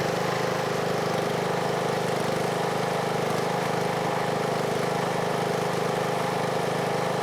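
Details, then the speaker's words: Briggs & Stratton engine on a Husqvarna riding mower, after replacing a camshaft whose decompressor had failed and made it crank like a dead battery: it starts easily and idles smoothly and steadily with no stumbling or knocking. "you ready and it idles dark nice dude very easy"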